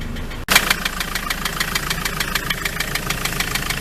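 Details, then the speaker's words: Ford Transit MK7 2.4 RWD diesel van idling warm after yard drive, fuel system bled and new injector kit fitted; steady sharp tapping about three per second over idle, cause unconfirmed. "Its temperature's getting up now. It still runs great, it's just that noise."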